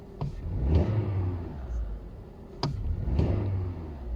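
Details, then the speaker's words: Audi A2 petrol with LPG conversion, fully cold after standing a day, after replacing a 12V battery with a dead cell that caused cold misfiring: engine blips up twice and settles cleanly, no stumble or misfire. "engine is still totally cold ref seemed to work much nicer car is fixed"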